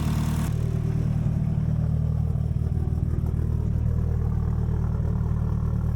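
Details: Evo engine idling after the head was resurfaced and O-ringed, with new oil pan, vacuum-bled coolant, good AFR and oil pressure: steady, even smooth low rumble with regular pulses about four per second and no knocks or misses. Normal idle.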